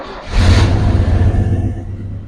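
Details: 1967 Chevy Bel Air station wagon V8 after sitting 30+ years: quick rev blip, then a deep, smooth, even rumble with no knocks or misfires; engine healthy.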